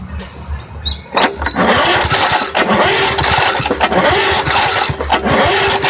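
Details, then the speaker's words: Vintage Sears 131.91280 push mower with a 1978 Briggs & Stratton 92908 3.5 hp points-ignition engine, stored in a barn for years: several rasping pull-cord cranks, never fires; spark check shows no spark. "actually I'm seeing no spark there not at all"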